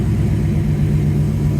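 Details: 1971 Oldsmobile Cutlass Supreme V8 running about 10 minutes after installing an Edelbrock 1791 electric fuel pump and new fuel lines: a deep, steady low rumble with an even beat and no knocks or ticks. Normal idle.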